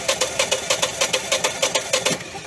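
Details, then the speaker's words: Propane engine cranking with spark and rotation, solenoid clicking, about 7.5 inches pressure, yet not firing: even cranking pulses about five per second; no fuel reaching cylinders. "Should be firing. Got spark, got rotation."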